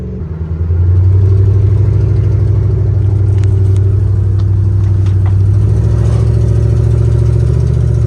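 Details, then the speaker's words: Box truck that sat 5 years, running after a new fuel pump, with its catalytic converter stolen, cruising on back roads: a deep, loud, raw steady drone from an open exhaust. Loud exhaust due to the missing catalytic converter. "It's gonna be loud because the cat was stolen. Fired right up, baby."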